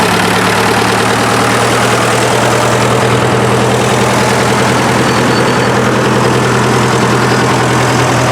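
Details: 1947 Farmall MD tractor, back together and started outside the garage: deep, steady chugging idle with no rhythmic knock or stumble; a healthy, normal idle.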